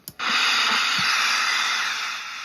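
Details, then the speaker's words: XGR multi-band radio powered from a battery eliminator (DC-DC buck converter) during repair: a click at switch-on, then a steady, even speaker hiss. The set has power and the speaker works normally. "And we've got power. Good. And speaker works. Excellent."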